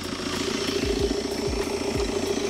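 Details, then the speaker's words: 2016 BMW F22 2 Series salvage car after frontal impact, intercooler missing: loud airy rushing over the idle with repeated sharp whooshes like a dump valve; turbo clearly heard, engine otherwise sounds good. "it's blowing a lot of air that's because the intercooler is gone so it sounds like it's got a dump valve anyway let's go up front and see what we can see now listen to that you can hear the turbo"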